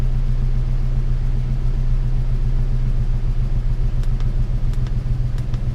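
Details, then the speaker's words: 1998 Ford Ranger 3.0 swapped engine after high-idle fix: steady, even low rumble at about 880–900 rpm, matching desired 896, idle air solenoid 34%; no misses, knocks or hunting, normal idle. "definitely running better um see RPM is 880 Idol a solinoid is at 34% so that's got to be Mee and desired RPM"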